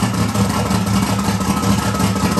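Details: 1994 Mustang 5.0 with Holley Terminator X, Holley hi-ram, Anderson N41 cam, Pro Comp heads, turbo, open downpipe: first start after no-start fix idles loud, lumpy and hunting, with ticking buried; suspected too much fuel, needs serious tuning. Rough running.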